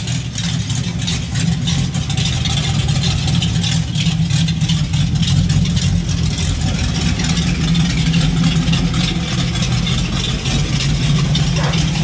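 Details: Fox Mustang after IRS swap, no mufflers, off-road H-pipe: loud, deep open-exhaust idle with lumpy uneven beat that never settles; rough idle, running really rich, cause still to be diagnosed.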